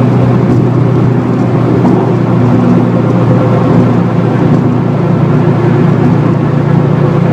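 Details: 2004 Subaru WRX STI at steady freeway speed: constant low droning hum over road noise from a failed wheel bearing, worsening that day, plus rear differential whine amplified by upgraded bushings and mounts.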